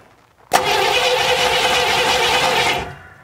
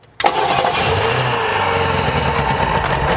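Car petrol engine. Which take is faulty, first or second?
first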